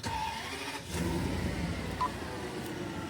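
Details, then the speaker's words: Worn Toyota Century V12 at start-up and idle: fires almost silently and idles very soft and even, no tick, knock or roughness; engine described as buttery smooth, normal healthy V12 idle. "It's so quiet."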